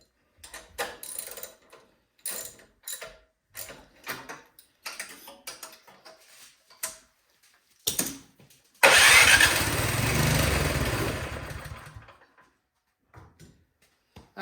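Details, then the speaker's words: Craftsman 22" snowblower no-start with good spark: uneven pull-cord cranks, then about three seconds of running on starting fluid that dies; points to fuel, suspected old gas gumming the carburetor. "I'm going to spray a little bit of starting fluid down the top of the cylinder and see if it will fire and if it does that will tell us that we got you know maybe bad fuel or you know something in the carburetor you know old gas sitting in there gums it up"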